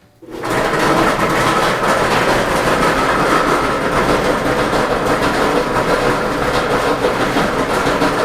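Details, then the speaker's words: Whirlpool dryer making noise, on starting: a continuous coarse rumble with a rattly clatter. A broken drum support roller is suspected. "Sounds like probably a roller has broken."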